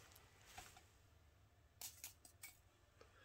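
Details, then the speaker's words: Rotec R2800 engine, new, for a Kitfox project, just shut down hot after test run: quiet irregular ticks and clinks as the engine cools and contracts; normal, no running noise. "that's a bit sizzling so the engine has literally just shut down you can still hear it creaking as it uh shrinks back to its normal size"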